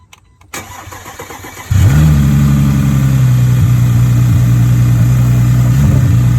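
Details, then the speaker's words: Audi A4 engine (being pulled for LS swap; cracked block, oil leaks, sensors removed) cranks, catches and idles roughly with uneven low beat and dips; blown engine with terrible rod knock, last run before removal. "It's blowed up. It's got a terrible rod knock."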